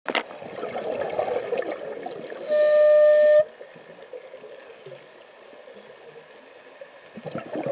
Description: My Mares Proton ICE making a funny "horn" sound while I breath between 700-800 psi while diving recently, admiring this strange looking jelly fish.